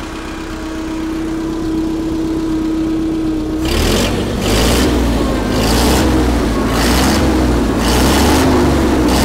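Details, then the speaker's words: Allis Chalmers FP-40 forklift after fuel system overhaul and carburetor install, no air filter, idle mixture screw adjusted; rough run settles into steady even chuffing idle, spec about 500–550 rpm, no tachometer; normal idle. "i don't have a tachometer so i can't really get this engine dialed in it's supposed to be about 500 or 550 rpm at idle"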